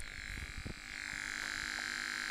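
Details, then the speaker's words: 1982 Vectrex HP-3000 vector-display game console: steady electrical buzz from the speaker whose tone shifts as the screen image changes; display-linked buzz, before fitting a Buzz Off kit and capacitor ESR check. "as the scene changes, you can actually hear the buzz change."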